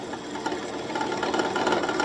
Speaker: You hear that chatter? That means we're out of round. So we'll just keep turning till it's round, and then it won't make that noise.